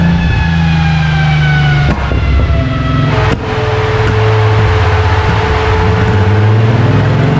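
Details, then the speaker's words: VW VR6 after new camshafts fitted on adjustable pulleys set to stock timing: engine howls, then revs fall with a rough, uneven drone carrying on off throttle; power collapses around 5000–6000 rpm, not ignition. "Mais t'entends que le bruit c'est pas de l'allumage ou quoi que ce soit."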